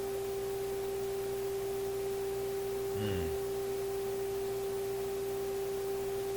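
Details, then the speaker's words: A clean 400 Hz test tone at a constant level from an Electrohome Kalmar console stereo receiver during FM alignment. Earlier the tone and output meter surged stronger and weaker; now it holds stable with no fading. "you can see the meter jumping up and down you can hear the tone getting stronger and weaker that's kind of a sudden effect there it seems to be a little more stable now"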